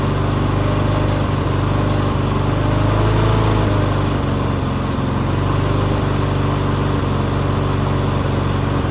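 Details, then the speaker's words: Push mower that sat six years with water in the engine, running on bad oil: single-cylinder engine chugging with a slight swell and dip in speed as the loose throttle linkage lets it hunt; surging. "I was just having a problem with the throttle, just moving around, so it would be way up high and then it would just shut off."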